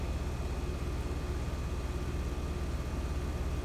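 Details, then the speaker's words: Outdoor HVAC condenser whose compressor would not start (thermal lockout suspected) has just kicked on: an even, steady low rumble and fan rush with no rattles or cycling. It ran normally. "It's just now really kicked on and started running, so we need to let it run for about 10 or 15 minutes."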